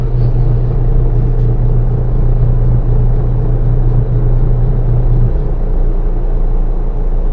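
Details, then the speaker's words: Toshiba washing machine after the belt fix: the dryer spins with a steady, even low hum and no knocks or scraping; the motor was fine and the problem was only the loose belt. "Okay na Yung kanyang kanang Motor Wala namang problema yung motor ni May problema lang talaga yung kanyang kanyang belt"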